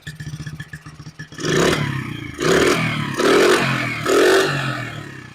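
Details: 1974 Honda XR75, running about a minute, timing on the fire mark, still smoking, valves previously raised: uneven putter at idle, then four raspy, ragged throttle blips rising and falling; runs rough, cause unclear.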